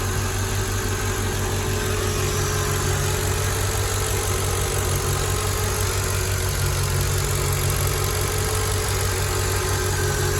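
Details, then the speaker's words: Mercedes ML55 AMG V8 after oil catch can install, check engine light on for an EGR fault: steady, even idle with a smooth low rumble and no misses or knocks; the slight vacuum-leak-like sound came from the dipstick sitting out because of a worn O-ring. Normal idle. "Idling fine. It almost sounds like I hear a vacuum leak or something, but oh, that's why my dipstick is out a little bit."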